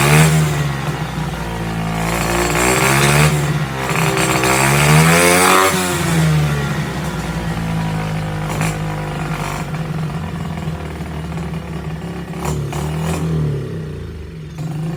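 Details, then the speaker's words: SSR pit bike after rebuild with new air filter: small single revs and drops back unevenly, never settling to a clean idle; suspected wrong carburettor size or jetting, or too little intake restriction. Rough running. "yeah it's not running great it could be that that air filter is too wide open sometimes it needs a little bit more restriction but it's probably that that carburetor is not sized correctly or the jetting is way off"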